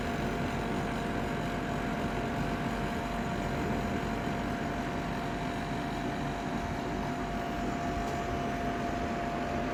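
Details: Ninja Foodi 8-in-1 cooker running cold, though the owner says the unbearable noise comes after it warms up: steady loud whirring with a faint constant whine, unchanged over ten seconds; excessively noisy fan, cause unclear.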